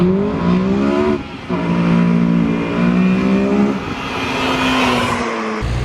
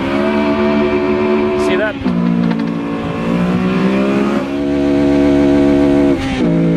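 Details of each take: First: Mugen Civic Si fitted with Hasport billet engine mounts, filmed by GoPro on a hard launch: the engine pulls through the gears with a clean, rising drone and no shudder or chatter, and no wheel hop is seen. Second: Mugen Civic Si on OEM engine mounts before Hasport billet mount swap: hard revving launch with engine note dipping and surging unevenly as tires grip and slip; wheel hop from engine movement on the mounts.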